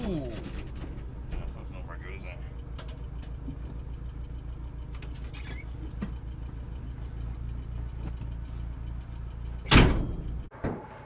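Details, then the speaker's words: 1984 Bedford CF van idling, then a harsh crunching bang as reverse is selected; the reverse gear is broken, and the gearbox is to be replaced back at the workshop. "Luckily enough, we're on a slope because we reverse just make a horrible crunchy bangy noise. It's not good."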